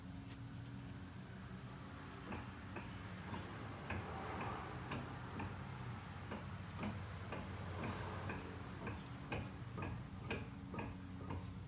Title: Front CV axle knocking sound